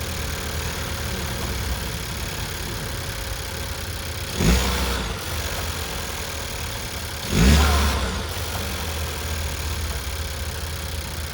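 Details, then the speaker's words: Second-generation Chevrolet Cruze after fitting a GM Performance intake: quiet, steady idle with two short throttle blips rising and falling cleanly, no misses or rattles; engine sounds healthy. "now I gotta fire it up show you guys what it sounds like"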